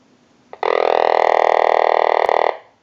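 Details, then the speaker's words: Vintage Frog novelty telephone during initial checkout and repair, ringing from an incoming cell phone call: an even, buzzy croaking ring of about two seconds with steady rapid pulsing and no dropouts; tone depends on line ring voltage; ringer works normally. "that'll be your ring cycle that comes in, and depending on the line ring cycle voltage will depend on the tone that you get."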